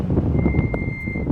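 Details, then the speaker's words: Mitsubishi Evo with track brake pads, warmed up and driving: thin high-pitched front brake squeal rising over road rumble while braking, now starting earlier; owner suspects contaminated pads, plans new pads. "There you go. They started to squeal earlier now than they did before, so I don't know what the deal is, but yeah, I guess we're gonna be changing brake pads."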